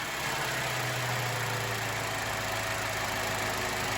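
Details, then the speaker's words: 2012 Chevrolet Cruze 1.4 after engine replacement (old engine had no compression on cylinder 4), first start: steady, even idle with smooth low hum, no knocks, misses or rattles; healthy. "that's that's how a proper running 1.4 should sound right there much much better"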